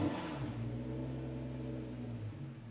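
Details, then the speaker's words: BMW E92 N54 single-turbo with DCT, newly on MaxxECU, warm day in shed: low, wavering idle that never settles, fueling and throttle not yet calibrated. "Welcome to aftermarket ECUs. Again, I haven't calibrated any of the fueling yet. I haven't touched the throttle."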